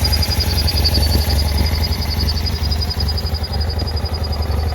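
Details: 2009 BMW F800GS at idle, extremely rough and cutting out in traffic: uneven, lumpy beat with loose clatter, near stalling; one idle-speed actuator vacuum hose is torn and the other broken off the air box spigot (fixed with new hoses and a connector).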